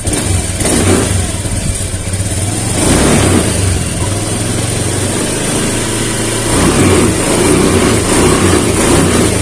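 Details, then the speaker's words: Honda Beat FI scooter with new injector that hesitated and stumbled on throttle, after fuel pump regulator and pressure work: engine revs up cleanly and falls back several times with no stumbling or popping; throttle response now healthy. "Nah sekarang Coba kita bejek gasnya Wah udah respon"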